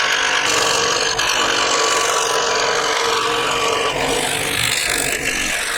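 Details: Second-hand Clarke 16" scroll saw after cleaning and new blade, cutting a wood sample: fast even rasping at roughly four strokes per second, no knocks or rattles; cutting smoothly.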